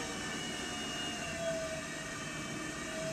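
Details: Pottery wheel turned on fast but not full speed, at centering speed with clay: steady mid-pitched motor whine with faint higher tone above; normal motor whine.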